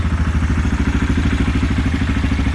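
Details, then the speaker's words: Idle of a 2016 Yamaha Kodiak 700 ATV at 265 hours, after the side cover was removed, the oil pump drive sprocket nut re-torqued, and oil and coolant refilled. Steady, even single-cylinder thump with no knocking; owner says it's been running perfect. "It's been running perfect."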